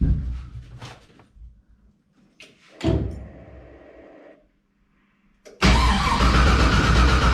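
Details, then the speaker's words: LS1 swap with Holley EFI: the starter cranks the engine at a steady, fairly quick beat but it never fires. Coil supply reads about 9 volts during cranking, so the owner suspects a voltage drop too low to fire, having read it needs at least 10.5 V. "Gets a voltage drop there. I don't know whether it's supposed to be full 12 volt. I thought it would be, but the fact that it's only reading 9 point something means we're potentially getting a voltage drop which might not be enough to fire properly"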